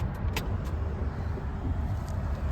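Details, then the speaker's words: BMW engine swapped into a Ford Transit; the van has passed its MOT but has a hot-start problem. Deep, steady low rumble running evenly without stumbling, a few light jingles over it. Normal running. "It's in gear, I don't want to be too risky with it. Because if you start it, it'll kill me. Oh. Sounds good."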